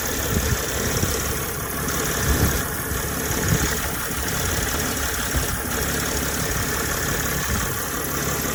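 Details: Mercedes ML320 W164 idling, drives OK; steady idle then a deep rough grumble builds from the front near the radiator toward the latter part of each rev; cause and source unknown despite checks.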